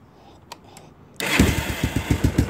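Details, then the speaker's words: 1986 Kawasaki Bayou 300 with a late-80s GM HEI module wired as a CDI, so there is no ignition advance at idle: the starter catches, then a very low, slow, lumpy single-cylinder idle with about eight chuffs a second. It dies without careful throttle. "um so once it starts it'll die if you don't know how to do the throttle"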